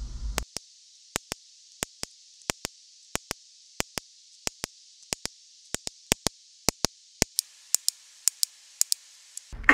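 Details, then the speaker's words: Fuel injector bench test, energized with 12 volts from a booster pack: sharp, crisp, distinct single clicks at irregular intervals, showing the injector opens properly; a healthy injector. "You can also test to see if your injector is opening while it's on the car. Just with the car running, use a stethoscope. And you should hear it clicking."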